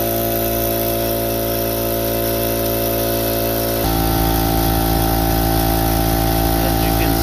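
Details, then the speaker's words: Harbor Freight Central Pneumatic air compressor after a top-end rebuild: even, fast piston thump at about four beats a second with a steady hum as it builds pressure. It formerly stalled at 35-40 psi with weird noises; now it reaches cut-off quickly. "It's already going a lot higher up in pressure. As you can see, it just went straight up to where it's supposed to be, turned off, everything worked good."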